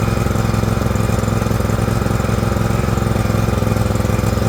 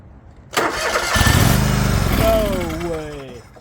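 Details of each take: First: John Deere LX178 with a liquid-cooled Kawasaki twin, run on a rainy day: steady, lumpy, heavy-rich chug while the carburetor floods and pours fuel onto the muffler. It had quit when slowed down. Carburetor flooding. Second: Liquid-cooled Kawasaki twin in a non-running John Deere LX178 project mower, after refitting the ignition switch, throttle lever broken: brief cranking, then catches and settles into a steady, lumpy idle; it starts and runs.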